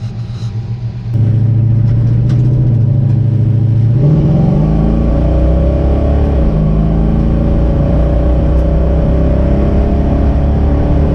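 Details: 1968 Dodge Charger with a newly installed, being-broken-in RV 440 V8, first drive on a cold Colorado day: deep rumble climbs as throttle opens, smooth steady pull, no knocking or tapping; engine healthy, replacing the previous rod-knocking motor.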